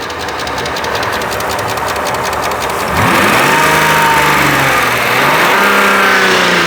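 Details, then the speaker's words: Mercedes R129 SL600 V12 donor car after sitting for years, bad gas, running a bit rough and possibly misfiring: starts and revs with a light fast ticking, suspected lifter tick from sitting that gets less as it warms. "slight of course it has been sitting for a while so maybe it just needs to warm up and work its way out sounds like it's getting less and less"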